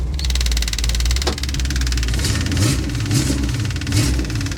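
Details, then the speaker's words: 1977 Chevy Monte Carlo with V8 swapped from a '69 Chevelle, unrun for years, driving: uneven loping V8 with dull lumpy beat and periodic stumbles, going nowhere; owner suspects not enough timing, before advancing it. "Wow we are going nowhere uh yeah we are we are not going anywhere"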